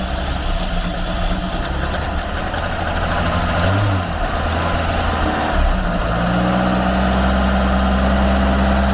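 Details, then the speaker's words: Ford Capri garden find: after a few rough catches it settles into a steady, even low idle with no knocks or misses; the exhaust is only slightly smoky and the engine runs well. "no Miss Smokey but it's pretty clean again let's get that noise that's a really even exhaust note that is running really well do that again oh God it sounds good back here"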